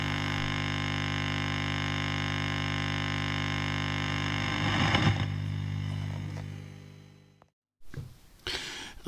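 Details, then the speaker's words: 1950s Valco National Sportsman 1201 tube amplifier: steady low buzz with evenly spaced tones from about 100 Hz up, only in the microphone channel at half volume; mains hum injected at the 6SL7 input grid. "listen to that bus that appeared only in the microphone channel and only when you're turning the volume control of the microphone channel half way up when I turned it to full volume the buzz was gone a pretty strange issue"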